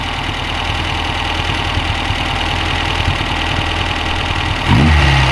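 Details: 1969 Reliant Regal 850cc engine on test stand before installation, electronic ignition, 82-degree thermostat: rough, steady rattling beat about four per second at idle; abnormal engine noise, cause not yet clear.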